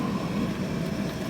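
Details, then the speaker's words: Traeger pellet grill, most likely a Junior, on a smoke cycle while diagnosing a failed hot rod: the combustion fan circulating heat gives a steady, even hum and airy rush with no rattle or scraping; the fan works normally. "you can hear the fan going that fan is just used to circulate the Heat"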